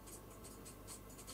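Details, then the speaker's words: Sony PCM-501ES/701ES decoder with an added SPDIF output feeding a digital recorder: low hum under irregular hissy crackle as the heated 74HCT4046 PLL chip cools and loses lock. "we have a successful lock good digital audio out but as that chip cools down you can hear crackling on there"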